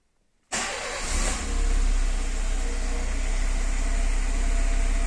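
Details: Engine after replacing O-rings, the likely cause of an intake air leak that lit the oxygen sensor warning light: catches after a short crank and settles into a steady, even idle with smooth low rumble, no misses or hissing.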